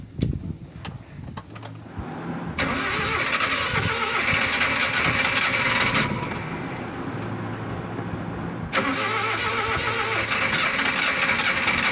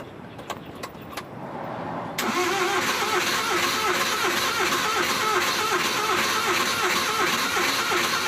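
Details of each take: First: Suzuki van after DIY distributor cap replacement to fix hard starting: a short crank, then the engine catches promptly and settles into a steady idle, a quick, healthy start. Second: Suzuki van with hard starting, heard from inside: a click, then long rhythmic cranking at about three beats a second that never catches; before repair, owner suspects the distributor cap and plans to replace it.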